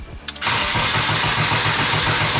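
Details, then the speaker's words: BMW E30 with K24 engine on stock cams, running very rich (about 0.7 lambda) before timing set: catches after short crank, uneven lumpy idle that never smooths out; rough idle, cause not confirmed. "quite aggressive so you guys can hopefully hear just still the rough idle I'm hoping that this wideband sensor is able to actually fix that"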